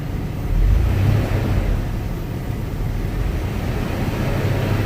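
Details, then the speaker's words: Chevy S-10 donor engine at operating temperature, oil pressure about 30 psi, after timing check, being revved: steady low rumble, short rise in engine speed, then even run with no knocks or misses; runs smoother the longer it runs. "Seems like the longer I let it run, the better it runs. Very, very smooth. Very nice."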